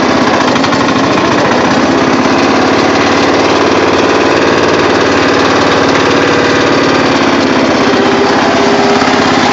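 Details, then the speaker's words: Murray riding mower with rebuilt engine that smokes a little but has plenty of power: a loud, steady small-engine drone holding an even note, no misses or knocking; normal running. "but the engine runs really good after the rebuild and uh she does smoke a little but she's got power for days so that's all I care about"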